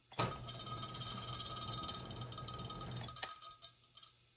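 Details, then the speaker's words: 3rd Rail brass B&O Big Six model locomotive (about 2004) in 128-step mode, motor just starting at the first speed step. Thin whirring with a faint raspy grind for about three seconds, then it winds down. Owner suspects the flywheel has come loose and is spinning on the motor shaft. "I'm kind of thinking the flywheel got loose and it's just kind of spinning."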